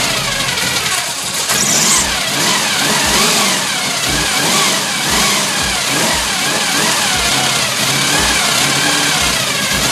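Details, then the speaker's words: Chevy Nova 355 V8 after the leaking Holley 650 double pumper carb was regasketed and refitted: it fires up and settles into a lumpy, steady idle with even rhythm and no misses, knocks or odd noises; sounds healthy. "yeah she's sounding sweet that 355 is pretty nasty"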